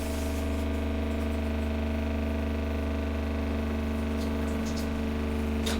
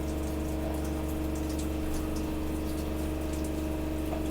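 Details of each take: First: Gasland CG360LP tankless propane water heater, new install: steady fan hum and low electrical drone with no ignition whoosh; A4 failure-to-light alarm, burner fails to ignite because the igniter wire was disconnected. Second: Gasland CG360LP tankless propane water heater, burner lit: steady drone with constant tone and water rushing through, no clicking or surging; normal operation.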